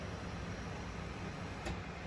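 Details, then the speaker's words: BMW E36 build, first start after head gasket replacement (failed Athena cut-ring gasket): steady low idle with one sharp exhaust backfire, apparently from ECU reset, then settles smoothly; no fuel or exhaust leaks, no misfire. "there sound like it did one of those things where the ECU has to be reset and it did a little back fire woo good no fuel leaks no exhaust leaks no Miss fire listen to that idle"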